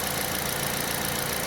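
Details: Aging Kia All New Picanto idling after replacing the alternator with a MIRE unit for low charging, new battery; charging now reads about 14 V. Steady, even idle with smooth hiss, no belt squeal or chirp: normal idle.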